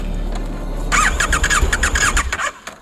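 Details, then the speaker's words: Motorcycle stuck in Alaska's wilderness: the starter cranks in quick whirring pulses with a squealing edge and occasional pops, as if about to fire, but the engine never starts; cause not confirmed. "Maksud saya starter akan dibalik, dan berbunyi, "Vavoom, vavoom, vavoom." Sepeda tidak mulai. Dan sesekali, Anda akan mendengar letupan yang terdengar seperti ada yang menyala, dan mesin ingin hidup. Tapi itu tidak akan terjadi."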